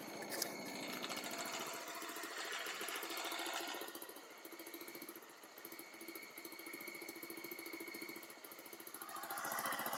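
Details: Baja Dune 150 buggy, Chinese single-cylinder engine, after rejetting the carburetor with a 110 main jet: steady, even chugging pulse rising and falling smoothly, slight smoking; now running well, far better than before.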